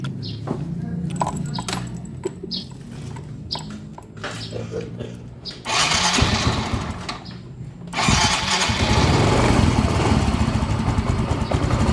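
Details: Yamaha Mio M3 125 scooter that sputters and stalls, just after fitting a new spark plug, plug cap and coil: several cranking bursts, then an uneven lumpy idle that won't settle and stalls. Hard start, unstable idle; fuel pump pressure being watched.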